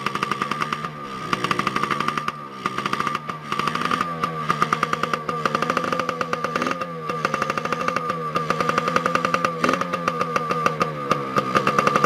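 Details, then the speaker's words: 2002 Yamaha PW80 two-stroke, first cold start after sitting over two years, with carb cleaned, new gas, oil pump removed, air filter off and carb not yet tuned: rapid crisp popping rising and falling with throttle, firing evenly without misses; running well. "But yeah, she's a good little runner, quick little peppy bike. I'm impressed for an 80, yeah."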